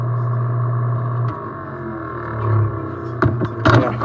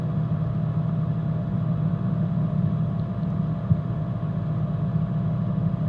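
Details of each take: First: Coleman mobile home furnace: steady hum, then the gas valve clicks open with power but there is no burner flame, so the safety flame sensor shuts the valve; cause is a spider web blocking the gas orifice. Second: Coleman mobile home furnace after clearing a spider web from the burner orifice: steady, even low burner roar with no popping or dropout; flame lights and holds, normal.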